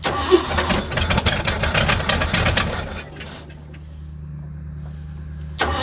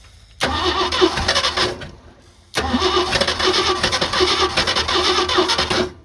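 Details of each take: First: 1986 Ford F250 after new starter, first start and warm-up: cranks, catches about three seconds in and settles into smooth, even low idle; sounds nice, engine running healthy. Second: 1986 Ford F250 fires and runs about a second and a half, dies, restarts, runs three seconds, then cuts out again while being warmed up on its first drive; stalling after start, cause not identified.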